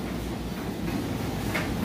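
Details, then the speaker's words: Whirlpool Ultra Care II electric dryer tumbling a jeans-and-towel load: a soft, even low drum rumble with no knocks, scrapes or squeal. Smooth normal operation. "But as you can see, it sounds great. It's got nice smooth operation."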